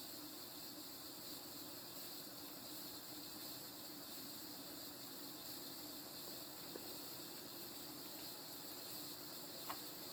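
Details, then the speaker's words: 36-inch View Fan industrial-style ceiling fan from the mid-to-late 1980s on a 5-speed wall control, running at speed two: a steady airy hiss over a faint hum from worn bearings, a noise that worsens the faster the fan goes. "i'm gonna take it up the speed number two the bearing noise only gets worse the faster the fan goes of course"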